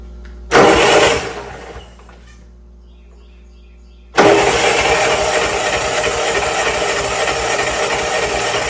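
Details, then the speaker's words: Old Bobcat 610 skid steer with a Wisconsin engine, revived by freeing stuck valves. Cranked on the starter: a brief churn, a pause, then it catches and settles into a steady, even idle on its own. "I don't know if you see that or not, but she's working on her own now."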